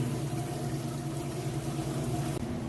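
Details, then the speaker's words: Kenmore top-load washer finishing its drain and moving into the rinse cycle: a steady low hum with water rushing in evenly and no knocks or grinding. Normal rinse fill. "all right and it is draining now you can hear it draining it's gonna move on into the rinse cycle there"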